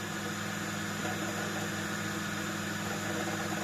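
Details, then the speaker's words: Flea-market desktop PC with Asus P5QL motherboard, 2 GB RAM, CPU at 31 degrees, booted: constant fan whoosh with steady low hum, no rattles, clicks or rising whine; running normally. "And as you can see, it's working very, very well. I'm so happy."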